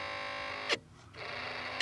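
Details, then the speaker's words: 1987 Porsche 911 Carrera Cabriolet: a thin, buzzy whine from the Bosch HVAC temperature-sensor fan behind the dash, present whenever the ignition is on, stops when the impeller is held; the nearly 40-year-old motor is worn, dirty and rattling and needs servicing. "So that is it. We need to find a way to get this motor out and maintain it, because you can hear it sounds real sick right now."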